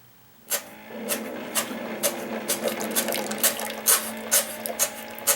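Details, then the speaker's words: Keurig K60/K65 that won't brew, medium cup attempted after turkey-baster clearing of reservoir outlet: pump buzzes steadily with sharp spitting bursts about twice a second as excess pressure trips bypass valve and water escapes rear overflow. "okay good so what you couldn't necessarily see there was we're now getting water out of this overflow back here"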